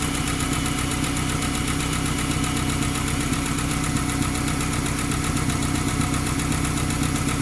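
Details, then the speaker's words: Ford Ranger 2.5 four-cylinder (1995–2001) at first startup after a timing belt replacement: light regular tick over the idle, much louder than the slight tick it had before; valvetrain noise, cause unconfirmed. "This is also where you need to consider whether or not you remember what your engine sounds like, because if it had a tick when you started, the tick will be there when you get it started up again. This one had a slight tick, nothing like this."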